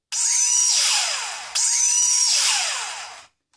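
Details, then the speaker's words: Failing motor on a JJRC Yizhan Tarantula X6 (H16) drone, held vertical so only one motor runs: two bursts of piercing high squeal, each about 1.5 s, pitch sagging as it spins down, unlike the healthy motors; failing motor squeal. "este ya vemos que empieza como a fallar porque ya empieza a chirriar y este que es el que nos falla como vemos el ruido es un chirrido muy muy"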